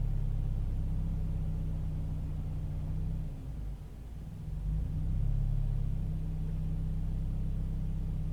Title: Toyota 86 rough idle